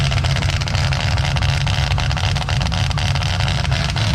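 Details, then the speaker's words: LS-swapped 1999 Chevy Camaro V8 idling while burping coolant, about 210 on the V6 gauges: uneven light flapping slap over the rumble as the belt rides the ridge of a power steering pulley not pressed fully on. "it's actually just the belt because the power steering pump isn't or the pulley isn't put I didn't push it on all the way like press it on all the way so the belt's riding on the actual Ridge of the power steering pulley and it's just slapping"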